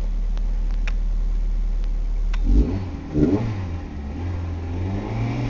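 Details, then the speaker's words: 1998 Ford Escort ZX2 Sport parts car, fuel fed by bypass pump in a pan, no coolant system, leaking transmission fluid; low even idle then two quick throttle blips rising and settling cleanly, quiet and smooth: healthy engine revving. "hey look at that it runs good losing our transmission fluid but we found out the was no good anyway hey it sounds good"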